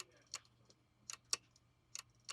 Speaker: Clique da morte. Esse, sem dúvidas, é o barulho mais aterrorizante da recuperação de dados.